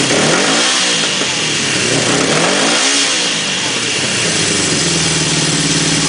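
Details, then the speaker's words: 1976 Honda CB750A automatic after changing the ignition points, which had it running a little rough: crisp revs climbing and dropping cleanly twice, then an even idle without stumbles; normal running. "it was running a little rough and I decided well hell I got changed in points let's fire this thing with the games I think that sounds pretty good"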